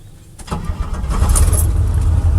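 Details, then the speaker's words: Barn-find Chevrolet C10 V8 warm start after adjusting the distributor to correct suspected timing; quick crank, catches at once into a deep, steady rumble with no starter drag, a clean healthy start. "Hey, and that was pretty good. Fired right up. There's no drag."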